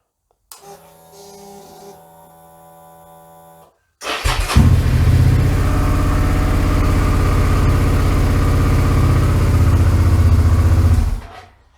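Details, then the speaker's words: 2008 Suzuki V-Strom 650 after cleaning the OEM starter button contacts: brief crank, then it fires immediately and holds a strong, even beat with no misses; normal start and idle, starter button fixed. "A little bit of patience, a bit of fiddling around, and works much better."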